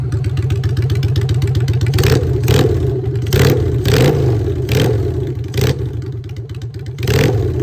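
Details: Honda Shadow V-twin with new custom exhaust pipes, on choke in neutral: deep, loping thump with repeated short throttle blips that rise and settle cleanly; strong, healthy normal idle and revs.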